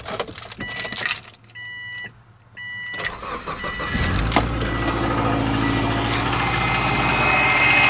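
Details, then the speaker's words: Early-2000s Subaru Forester, 250k km, recently done head gaskets, cold morning start with Rotella T6 0W-40 oil: chime beeps, cranks, catches to cold idle with light steady tapping; piston slap, goes away when warm, oil change didn't help. "a little tapping is still there again this is a piston flat tap it goes away when the engines warm right now it's cool"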